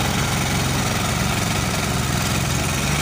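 Steady, even diesel clatter with no misses or hunting; the small engine is running smoothly.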